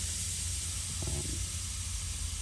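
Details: Rough Country air spring kit on a lifted 2022 Ram 2500 4WD, air release valve letting air out of the springs: steady airy hiss with a short soft flutter midway as they bleed down; normal release valve venting.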